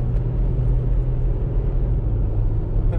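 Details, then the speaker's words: 2004 Toyota Highlander on test drive after freeing a seized, overheating rear wheel: steady low road rumble, no growl, hum or scrape; brakes feel good, earlier wheel bearing noise gone, normal. "brakes feel good wheel bearing noise is gone which I didn't really notice before"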